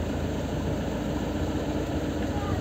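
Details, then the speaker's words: Lada Kalina 1, 8-valve, with LPG: switched to gas, the idle dips slightly, then settles into an even rumble around 800–900 rpm. Running normally on LPG. "снова 800 900"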